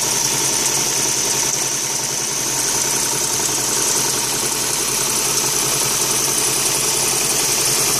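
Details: 2001 Ford Fiesta Mk5 1.25 Zetec: uneven, lumpy stumbling idle; no compression in cylinder 2 and very low compression in the others.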